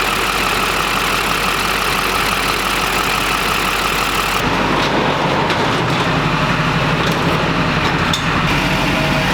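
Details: 20-year-old Duramax diesel pickup, recently new injectors, cooling system just opened and topped off, sat a while; steady even idle clatter, no whistles or hiss, no boost leaks heard; normal idle.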